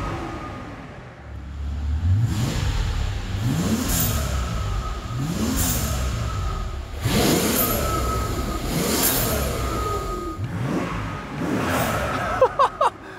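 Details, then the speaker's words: Mercedes CL65 AMG V12 with hybrid turbos, larger injectors and ported heads, after a new tune and with the exhaust refitted, free-revving in park or neutral; repeated clean revs with crisp turbo whoosh, no misfire or rattle, revs higher under the new tune; normal. "with the new tune it lets us rev it up higher in park or neutral and we're getting a ton of more turbo sounds and uh that could be the freed up exhaust too"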